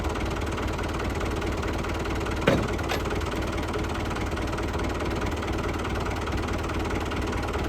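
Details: Lifan 7hp/GX200-clone engine on a Frontier OS18 sawmill, used 2.5 years, after repairing zero compression from a head gasket blown by a loose bolt, with valve lash set: steady single-cylinder chug, even firing, one brief tap midway, no blowing from the head; healthy.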